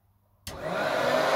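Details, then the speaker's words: Hoover Turbopower Freedom upright vacuum from the tip, first switch-on on low setting; sharp rush at start then steady even whir, no rattles or grinding, blew out dust; motor runs fine, headlight bulb blown. "it runs bad nothing wrong with that did you see all the dust it blew out when it turned on"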